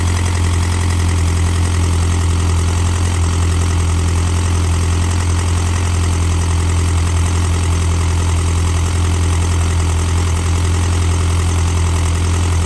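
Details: McGregor engine clattering at idle after the timing was set: a steady idle with a strong low drone and a rough, uneven clatter on top that doesn't settle; the source is unclear.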